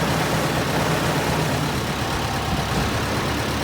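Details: 1913/1914 Detroit-made Princess, first start in about 100 years, clutch freed, driving in gear during brake test: low, slightly uneven chug under noisy background, pulling steadily; owner says engine nice and smooth; normal running.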